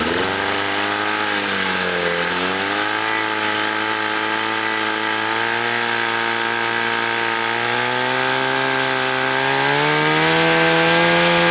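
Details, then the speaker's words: Chrysler two-stroke outboard on a test wheel, in forward gear after a new water pump, rebuilt carburetor and new fuel pump; it runs smooth and even with no stumbles as revs rise, and the ignition misfire is gone. "so sounds good I think now it's ready for a lake test"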